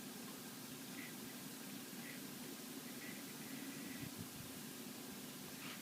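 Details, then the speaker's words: PowerMac G5, single 1.6 GHz, with a flashed ATI Radeon X850 Pro graphics card, after booting Mac OS X 10.5.8: just a faint, steady fan hiss with no surging or whirring; normal quiet running. "this system actually runs very quietly as you will hear once it boots up and neutralizes the graphics card"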